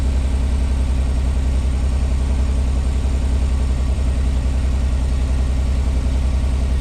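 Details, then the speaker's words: 1986 Pontiac Fiero SE V6, warming up, idling at 1,220 RPM by timing-light tach and slowly dropping; smooth steady fast idle, about 3.5 pulses a second; owner suspects vacuum leak, idle control or sensor: high idle. "She's idling at 1,220 RPM. And it sounds like it."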